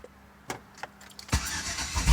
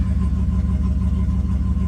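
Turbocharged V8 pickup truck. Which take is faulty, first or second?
first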